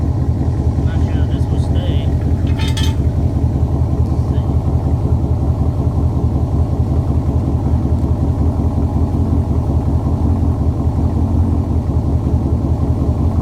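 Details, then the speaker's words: 2006 C6 Corvette V8 with newly installed Maximizer headers and X-pipe, no cats: deep loud throaty rumble with an even firing beat and steady burble, no misses or ticks. Healthy exhaust. "Wow, that sounds great. All right, that's it."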